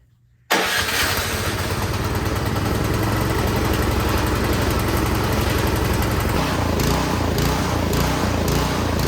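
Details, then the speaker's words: Troy-Bilt Storm 2660 26-inch snowblower, start after priming: runs, then rhythmic rise and fall in speed (hunting/surging) once choke is fully off, fine at half choke; carburetor fault, fixed by cleaning the carburetor. "As soon as you turn that choke all the way off, it was doing that. Rawr, rawr. That's called hunting. It's called surging. So that means you have something going on with your carburetor."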